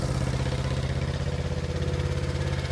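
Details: 1970 Honda CB350 twin, revived after sitting for years: steady low idle with slightly uneven pulse between the two cylinders, running a bit rough; carburettor problem suspected.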